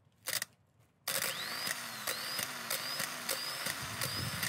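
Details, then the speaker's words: Starter motors for a 417k-mile Renault 19, old and replacement, bench-tested out of the car: short repeated clean whirring spins with light clicks; both work, turning freely. "good news is they both work so I can try and bang this one in the car now"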